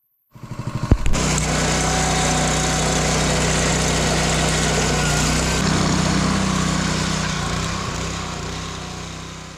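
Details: Honda GX200 196cc replacement engine on a 27-ton Dirty Hand Tools log splitter (replacing a leaking-carburetor Kohler), first start with choke on, throttle mid: catches after a few pulls, settles into steady even running, no knocks or misses; normal.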